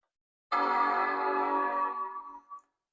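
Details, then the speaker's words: 28-year-old Apple Power Macintosh 7200/120 after RAM reseating, startup attempt: a single clean, full chime rings about two seconds and fades smoothly; normal startup chime, though the monitor shows no picture. "Good solid bong every time I hear it."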